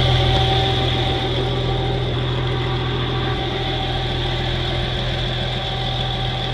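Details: 1963 Farmall 706 gas tractor, just bought, runs after a loose gear was found inside the timing cover: started with a little throttle, even steady low idle with a smooth firing rhythm, no knocks or misses. Normal idle.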